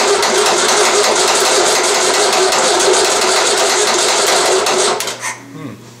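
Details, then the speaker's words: VW 1600 dual-port engine cranking on a starting stand when cold: the starter churns steadily for five seconds and never fires. Oil pressure is climbing, but the carburetor bowl isn't filled with fuel yet. "is it because nothing's coming out of there yet so we haven't got the bowlful no that was from the spill yeah we've got to get that bowl filled up a little"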